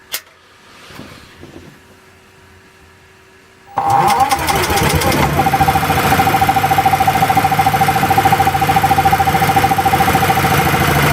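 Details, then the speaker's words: Small engine running on LPG with the choke backed off too far: after a few pulls it catches and runs at a fast, uneven, hunting beat. Runs poorly from too little choke; on petrol it runs with the choke fully off. "Yeah, it just doesn't run properly. But on petrol, it would run with the choke all the way off."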